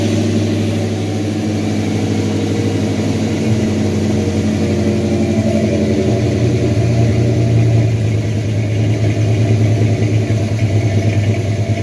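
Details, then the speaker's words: 1978 Chevy C10 350 V8 after a new Edelbrock intake, water pump, thermostat and valve covers: even idle that revs cleanly with no popping; the earlier misfire is gone, and a leaking old intake is suspected as its cause. "Oh yeah, sounds a lot better. Took care of that mist that it had. Used to have a misfire. I guess that intake was leaking before."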